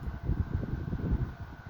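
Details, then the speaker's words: Vintage Galaxy 12-inch table fan on low, after full teardown, oiling and re-greasing: steady thin motor tone over an uneven, fluttering rattle from a slightly worn bearing, left unrepaired and acceptable on low. "You can hear that rattling noise. That's the bearing a little bit. I can't do anything about it, but it's okay on low."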